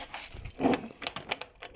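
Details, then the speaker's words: Honda SH50 scooter engine turned over by hand, sticking a bit, with rough, uneven clicks and gritty rattles; owner suspects badly worn crankshaft bearings, possibly also damaging the barrel. "sticking a bit but not only that that does not sound healthy that sounds like the bearings are very badly worn"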